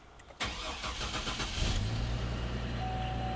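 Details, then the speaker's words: 2004 GMC Envoy after fuel tank, fuel pump, filter, filler neck valve and fuel pump relay replacement, system primed: brief crank, catches at once and settles into a steady, even idle; healthy start. "And she fired right up."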